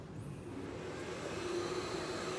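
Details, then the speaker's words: Argus mini fiber laser marker (Raycus fiber source, Sino galvo scanner) running after installation, with laser source and scanner power switched on: a steady soft whir with a faint constant tone and no clicks or rattles. Operating normally. "You can hear the sound, the laser system is running right now."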